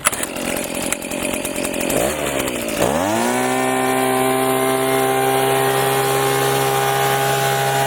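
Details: Leaf blower that would not start because its tank was empty, now refilled with gas: fires, blips, then holds a steady high, even drone with no surging or misfire; runs fine.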